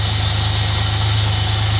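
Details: Holden V6 in CF Bedford van after new fuel pump, regulator, injectors, coils, leads and plugs: steady even idle, smooth low pulse, no misses or ticks; idling well.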